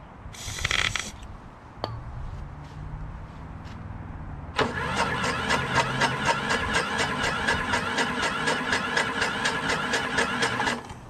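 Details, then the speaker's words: Craftsman 6.5 HP Briggs Quantum FWD mower after magneto replacement, started electrically: the starter whirs, then the engine catches with rapid, slightly uneven beats, running a bit rough; a dirty carburetor is suspected because it won't stay running on its own. "so all right so it does start but i think the carburetor might be dirty"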